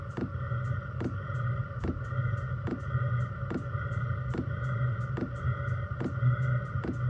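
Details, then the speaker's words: Chinese diesel heater in portable overland build, 5-liter tank, first startup after about two minutes of glow plug routine: even fuel pump ticking under soft steady burner rumble as it primes and lights; normal startup combustion. "you can now hear the fuel pump starting to Prime the heater if you listen in the background you can hear the uh engine starting to fire up"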